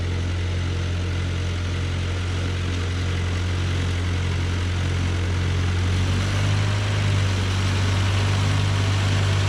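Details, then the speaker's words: John Deere No. 5 sickle mower on a tractor PTO cutting grass: steady tractor drone with an even low cutter-bar beat, no knocks or grinding; it cut perfectly fine, running healthy. "know that wasn't the tallest grass ever, but it cut it perfectly fine. And taller grass will actually probably cut easier too, because it won't want to lay over as easily."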